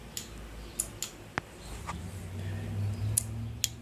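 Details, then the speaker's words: 1982 Yamaha XJ550 Maxim, key on, kill switch flicked, relay under the seat: sharp single clicks spaced irregularly in a quiet room; the ignition cutoff relay engages properly, normal relay click. "if you're not clicking when you're applying the voltage to it then the relays bad and I'll show you what that click sounds like right now"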